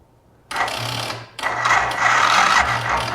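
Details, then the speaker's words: Can-Am Bombardier Rotax DS650 whose previous owner rebuilt the top end and which now won't run: two short, sluggish, laboured cranking bursts. Compression reached about 120, but the battery is too weak and will be charged. Slow cranking from weak battery. "so my other one does do it but it got up to 120 but it's crank it really slow so I'm going to charge this battery for a while"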